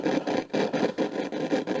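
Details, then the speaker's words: Cassette/radio player that powered on stuck at full volume on radio, knob not changing the level: rough scratchy rasping comes in repeated bursts, about four a second, as the knob turns; a worn, dirty volume potentiometer. "so the volume is Cactus on that the pot okay well that's all right"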